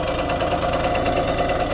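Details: 1989 Yamaha YSR50 50cc two-stroke, 198 original miles, restored, running on premix plus oil injection (oil light stays on, cause unknown): smooth idle with quick, even buzzing beat, no knocks or misses; sounds healthy.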